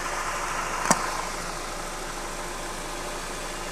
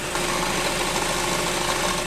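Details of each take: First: Porsche engine at idle after replacing a worn dual-mass flywheel (same engine/gearbox part as Audi Q5) that caused a clattering rattle; now a steady, even idle with no rattle, only one brief click near the start. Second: Porsche petrol engine at idle, recorded from under the raised car at the flywheel: a dense, fast metallic rattle from a worn dual-mass flywheel with excess play, fixed by removing the gearbox and replacing the flywheel.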